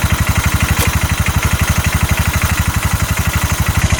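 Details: 2022 Massimo T-Boss 750 EFI UTV, heard from the back driving forward: heavy even thumps about four per second over a rough-running engine under load; CV axles and U-joint tight, cause undetermined.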